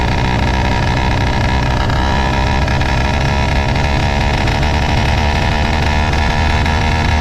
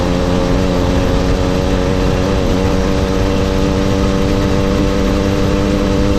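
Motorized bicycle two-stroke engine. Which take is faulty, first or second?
first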